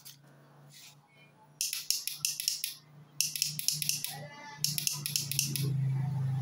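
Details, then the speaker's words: Honda CBR150 that won't start: pressing the starter button gives only rapid dry clicking from the starter relay over a low hum, no cranking; relay suspected and replaced with a new one. "Terdengar ya teman-teman suara dari relay starter pada saat mekanik bengkel pencet saklar starternya. Relay starternya hanya bunyi cetak-cetek saja."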